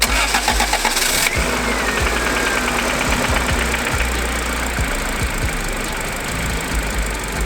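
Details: Honda Civic being prepped for boost, restarted after a previous attempt with a ratchet left on the crank pulley; cranks briefly, catches cleanly, settles to a steady even idle, no knocks or grinding. Healthy; coolant leak later found at a distributor nipple whose rubber cap was broken.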